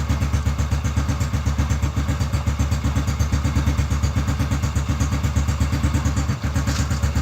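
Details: Rebuilt Honda Biz C100 single-cylinder engine after carburetor and ignition assembly, ignition cover not yet fitted: low, even, steady idle putt; exhaust now quiet, slight flywheel magnet and transmission noise heard; normal low idle.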